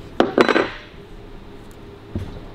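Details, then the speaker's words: 1941 Harley-Davidson WL 45 engine during strip-down: sharp metallic clacks as the piston is rocked by hand, showing too much play. "if you can hit if you can move it by hand and you can hear it knocking yeah yeah that's too much play you"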